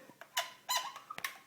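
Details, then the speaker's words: Control knob on a new Maytag Maxima MHW6000XW front-load washer binds and squeaks with short high chirps as it is forced round, instead of turning freely. "not moving freely you can kind hear that squeaking noise anyway kind of a disappointment"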